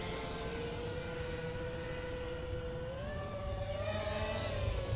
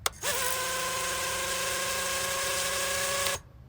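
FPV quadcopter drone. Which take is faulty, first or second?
first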